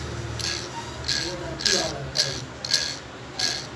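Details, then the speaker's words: Jammed table fan motor with the oscillating (moving) gear set removed, shaft turned by hand: slow, uneven scraping about twice a second; the bush and shaft are judged faulty, a dry or worn bushing rubbing the shaft. "তো এরকম শব্দ হওয়ার মানেই হলো এখানে 100% যে Bush আছে এবং এই ডান্ডি আছে, মনে হয় সমস্যা আছে।"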